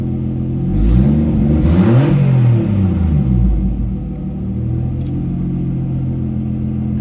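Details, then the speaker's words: Mercedes W203 with a turbo M104 engine running after its dirty injectors were cleaned: after a short blip it settles into a steady, even hum with no misfire or stumble; the rough running and hard starting were solved. "that sounds a lot better so smooth [Music] oh yes running so much smoother"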